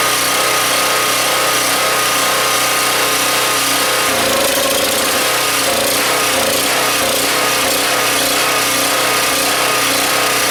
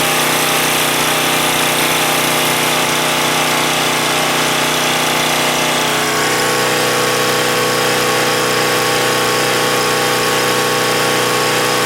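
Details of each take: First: Husky 1850W generator (about 5 hp), Mikuni T3044 carburetor cleaned about three times and air hole made smaller with a 6-32 screw; loud engine note drops and wavers midway, still surging, suspected blocked idle passage that cannot be reached. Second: Husky 1850W generator (about 5 hp) with Mikuni T3044 carburetor converted to natural gas, mixture set about right; steady single-cylinder drone at even speed without surging or stumbling, running better than on gasoline.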